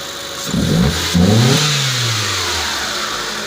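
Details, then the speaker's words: 2005 Mitsubishi Lancer with intermittent hard start and no DTC, recorded at the hood: two quick throttle blips from idle rise and fall smoothly without stumble or popping, settling to steady idle; no misfire, runs well. "so the vehicle runs pretty well not sound like it's a misfire or anything like that"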